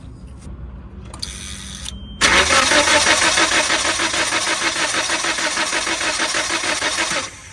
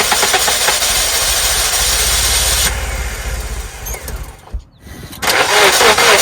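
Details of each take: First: 1997 Nissan Sentra cranking: steady fast starter churn about three cranks a second, never catches; ignition problem, raw fuel smell present. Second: 1997 Nissan Sentra that cranked but would not start due to an ignition system problem: starter churns briefly, engine catches and climbs into a busy, even run; starts and keeps running.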